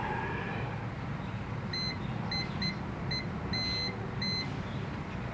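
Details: Multimeter continuity check on a new thermal fuse before fitting it in a Mitsubishi wall-mounted fan under repair: several short high beeps, about six in four seconds, over a low hum; continuity confirmed, fuse good.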